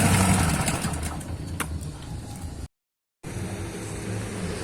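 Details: Honda GX160 engine driving a water pump, after freeing a seized engine and restoring compression, pump primed with water: fires up and holds a steady, even beat under pump load with no knocks or misses; strong suction.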